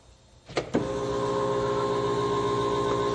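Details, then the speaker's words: Arctic Cat vehicle at key-on: a couple of clicks, then steady even electric hum for seconds as the fuel injection pump primes; normal fuel pump prime. "I get my battery voltage we can hear the pump activating for the fuel injection"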